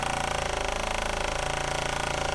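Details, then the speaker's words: Existing Shurflo 4008-101-A65 12V diaphragm RV water pump running, mic about 12 inches away and pointed at the pump; rapid chattering buzz and low hum at about 77–78 dB, with heavy vibration carried into the living space. "we're reading about 77 78 decibels hopefully you can hear that on the video but I mean there's still a lot of vibration going on down here and that noise all translates back into the living space"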